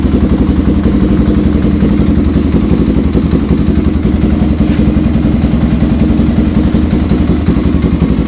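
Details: 1985 Honda ATC 350X three-wheeler after carburetor, filter, oil and new plug service (previously fouling plugs and smoking, exhaust full of soot); strong, even single-cylinder thump holding steady without misfires, popping or hunting, running clean and healthy.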